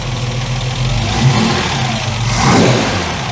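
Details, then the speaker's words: Ford Capri Mk1 3.0 GXL with Essex V6, manual, after sitting 8 years, running with cold start in the carburetor: engine picks up cleanly and drops back without stumbling; no idle change when sprayed for air leaks, normal revving. "oh listen to that Idol let have a little sprits around make sure we haven't got any slight air leaks still nothing you are there's no change in the engine speed there"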